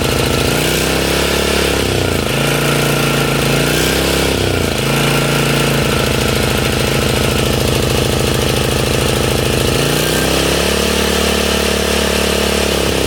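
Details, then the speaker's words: Honda EZ1800 gas generator, hard to start and only runs on choke, cold start after a shot of carb cleaner: speed sags and surges every few seconds; a fuel supply issue. "So we can see that the engine only runs on choke. So this is a fuel supply issue."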